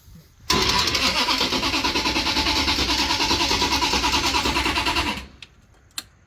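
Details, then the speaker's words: 1934 Ford pickup drag-race hot rod: the starter cranks with a rapid click-click about three times a second and never catches. The MSD ignition box was pulling 8 degrees of timing at the start instead of after launch, retarding the ignition too much. "You hear that? How it click, click, click? Now what we ultimately learned with this issue was that the MSD box was pulling 8 degrees at the beginning instead of doing it after the launch."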